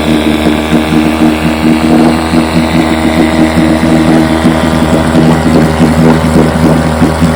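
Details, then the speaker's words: Fully restored 1958 Johnson 7.5 hp two-stroke outboard, barrel test without silencer fitted: smooth steady burble with constant even beat, no skips or rattles; runs great, idles with a sweet purr, normal running. "man I'm telling you that thing Idol down just a sweet Pur like a kitten almost doesn't want to die when you power down to kill it"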